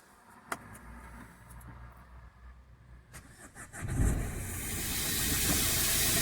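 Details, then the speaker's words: Renault Scenic diesel with blocked DPF: long cranking, then engine catches and surges into a rough, strained roar before stalling, choked by back-pressure; DPF pressure pipe hose disconnected to let gas escape; needs a DPF. "it's stalled I didn't like it it's too much it's totally choked might do some damage if I keep trying definitely the problem is a spot pressure needs a DPF"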